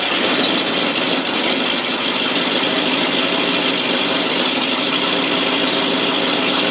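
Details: 1988 FMC 6000 with 5-speed, hard start because fuel wasn't reaching the carb: catches on starting fluid, then a loud, steady, hissy exhaust run that keeps going unaided.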